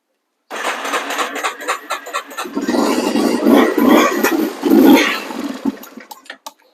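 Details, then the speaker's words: Neglected Yamaha Warrior 350 quad on choke: uneven, sputtering single-cylinder putter that stumbles and surges with no steady beat, barely running; rough running. "Okay, well, we kind of run. I'm going to mess with it a little bit more and we'll bring you back."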